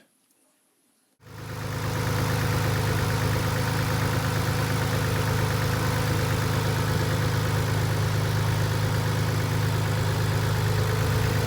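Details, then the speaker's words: 1990 Nissan 300ZX twin turbo with used JDM engine, after the fix for months of lifter ticking (dented oil pan found after noisy lifters suspected): petrol engine idles steadily with a smooth low hum, no tick. "eventually but just by accident i did figure it out and i just want you to hear what the engine sounds like with this problem fixed"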